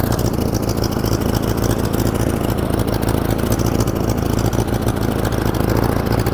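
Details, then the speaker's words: 1947 Farmall Cub tractor with replacement engine, running: chugging idle with uneven skipping beat, one cylinder dropping out; misfire from a stuck valve. "It miss It's missing cuz one valve is stuck, but it's pretty sweet."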